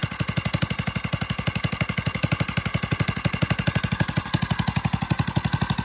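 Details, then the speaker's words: Single-cylinder engine on a drift quad, freshly fitted with a Nibbi carb, after an initial flood: crisp, even exhaust pops at a quick steady beat with a deep thump underneath; runs cleanly and healthy. "Wow. Wow. Ooh. That sounds beautiful."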